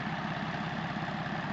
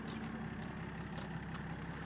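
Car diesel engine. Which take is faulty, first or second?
first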